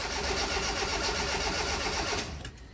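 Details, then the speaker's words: Car after refitting the starter, timing belt, valve cover and intake: the starter cranks in a fast, even chatter for about two seconds, then stops, and the engine never catches; cranks but won't start. "i'm just going to reach across here and give the key a whirl let's see what happens here ah nothing try again"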